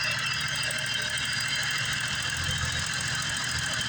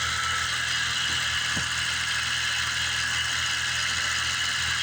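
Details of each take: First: 1988 BMW 535i E28 with M30 engine, warm idle with fuel and vacuum gauges teed in; new injectors, fuel pump, regulator and lines; vacuum oscillating 18–20: a steady, even, smooth low rumble with no knocks or misses. Healthy. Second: Steady fast hum on a 1988 BMW 535i E28 (M30 engine, mostly new fuel system) as the coolant temperature sensor is unplugged, faking minus 40 °C. Idle jumps from about 700 to about 1550 rpm and vacuum rises to about 21.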